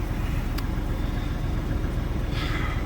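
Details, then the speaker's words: Diesel truck restarted after sitting about six months idles with a lumpy, uneven low rumble; it runs rough because of multiple open vacuum leaks, with replacement parts on hand to fix them. "The reason she sounds like hell is because it's got multiple open vacuum leaks, and there's boxes of parts there that are going to go into her."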